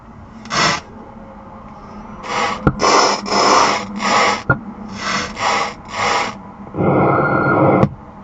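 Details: 2018 BMW M2, second occurrence: harsh repeated bursts of loud crackling and screeching from the car speakers over a faint hum, cause unclear.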